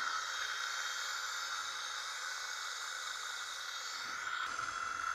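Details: Salvaged Japanese gearmotor with optical rev-counter sensor, run on 24 V: steady thin whine with a soft hiss, even throughout, no grinding or knocking; running smoothly and healthy.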